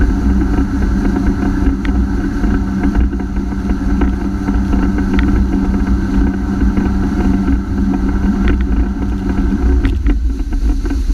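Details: Honda F-12X AquaTrax jet ski, days after a new turbo install: engine drones at one flat pitch at full throttle, then sags as speed drops from 60 to 28 MPH. Power loss, ultimately traced to a clogged fuel filter.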